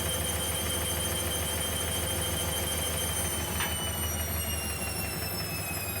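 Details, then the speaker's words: Hoover Optima 7kg OPHS712DF washing machine on a 60-degree wash, after spin and before first rinse: steady low hum with a faint high whine, even and unchanging, which owner believes is the drain pump down below; running normally. "you can hear that sound a noise I think is the pump down below down there"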